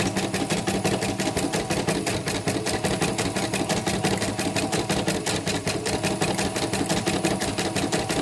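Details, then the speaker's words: CNY M34 embroidery machine after parts were replaced for an unresponsive screen and a harsh noise: even, steady needle strokes at about three per second with no knocking or harsh grinding, so it runs smoothly. "Ini mesin 34 ya, udah jalan. Yang diganti diganti ini, yang diganti kita nanti dites lagi di video lagi pas sudah ditutup. Ini lancar, bagus."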